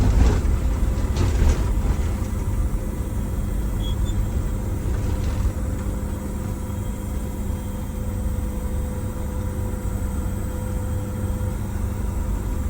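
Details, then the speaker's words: Detroit Diesel bus engine on test drive after blower replacement and injector timing tune-up, pulling under load up to about 45 mph: deep, steady rumble with even beat, no knock, flutter or surging; smoother, no vibration, smoke greatly reduced. "does it feel smoother too with the timing you don't feel a vibration or you didn't notice it before really no vibration it just smoke yeah oh yeah that's like much cleaner Tu up oh yeah much better"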